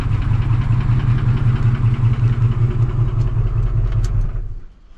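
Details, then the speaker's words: Ford F-150 5.4 3-valve V8 with known cam phaser and timing chain problems: regular deep knocking about two and a half per second over the idle until shutdown; worn timing chain and failing cam phaser suspected. "I just moved him over and I think this is confirmed what I was thinking she knocking pretty"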